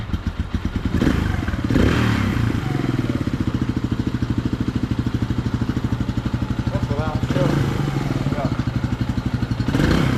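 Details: 1998/1999 Suzuki DR200 single, about 796 miles, revived after nearly a decade sitting, carb not yet serviced: steady, evenly spaced thumps with small throttle blips, no misses or knocks; runs healthy.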